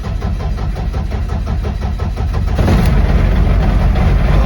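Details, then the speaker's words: BMW rally car not started for 18 months, cold start after adding 30 litres of fuel and priming: steady starter chug at 3-4 beats a second, then it fires cleanly into a strong, even idle. "Beauty. Right. Take a spin."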